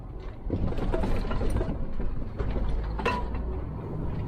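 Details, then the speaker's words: Scania truck cab while driving: low road rumble with scattered dry clicks and rattles, no steady pattern; a loose cab rattle whose source still has to be found. "Il faut détecter le bruit. Détecter l'endroit où c'est bruyant."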